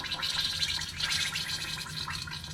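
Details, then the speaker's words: 1971 Plymouth Satellite wagon engine turned by hand during removal: wet, irregular gurgling from the cylinders, showing compression. Metal and plastic bits, likely from the timing gear, were found in the oil pan, and the bottom end seems fine. "listen to that got some compression back there goodness sounds like a bad day after Taco Bell"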